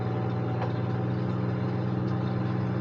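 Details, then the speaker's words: A salvage-auction vehicle started with a jump booster idles with a steady, even low hum and no misses or knocks. It runs very well, with only a headlight warning because the headlights are smashed. "now let's see if this thing will run of course it will not only does it run it runs very well"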